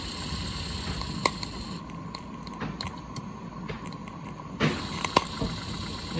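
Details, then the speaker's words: Accucraft Ruby 5 live-steam locomotive at operating temperature, running in forward: light, quick, even ticking over a steady steam hiss with no hesitation; it runs well, though the fire is a little too hot and the valve needs lowering. "she runs good. You can hear the fire's a little too hot, so you just want to adjust the valve, lower it just a little bit."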